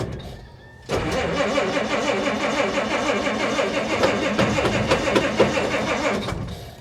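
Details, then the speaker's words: Cold old Willys truck with broken choke cable, choke lever held by hand and released too soon: catches after cranking, chugs unevenly at about three pulses a second, then fades and stalls; runs well once warm. "why do you keep running away it's an old truck it's got to warm up a little bit you keep letting off the choke so quick"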